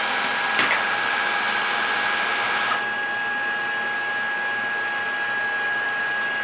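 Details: Shark ICZ362H Vertex vacuum after repairing a broken wire that stopped the brush roll: steady motor hum with an even high whine from the roller, no rattle or catching; brush roll running properly.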